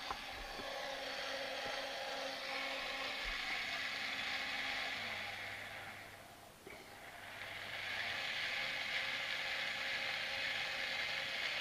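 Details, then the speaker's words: Sky-Watcher AZ-GTi mount after full strip-down with fresh Superlube grease, Dec axis slewed 360° with clutches locked and old saddle fitted: steady high motor whir, even gear chatter, no catching or binding; normal axis slew. "literally just going to turn that through 360 degrees to make sure there's no binding. So that's all good on the deck side."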